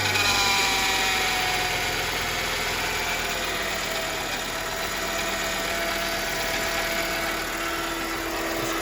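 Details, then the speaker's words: Copart car engine at idle after replacing the water pump, alternator and belt: thin, high chirping squeak about three times a second persists; goes away with the belt removed, so not the engine, source not yet found. "is still there. So, I changed the water pump. I changed the alternator and the speaking is still there."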